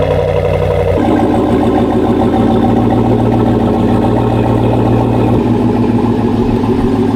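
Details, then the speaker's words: 2021 GMC Sierra AT4, 6.2L L87 V8, started indoors after reinstalling the factory airbox in place of the S&B intake, likely not a true cold start: quick starter whir catches into a firm, even idle that settles smoothly with no knocks or misses; normal. "You ever have that where you start your vehicle and sometimes it's way louder than you expected? That could be today or the exact opposite."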